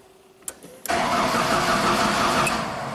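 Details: 2000 Genie S60 four-wheel-drive boom lift with a Ford engine, sitting unused for years: starter spins the engine at an even, steady pace but it never catches; cranks without starting while the tach signal is present.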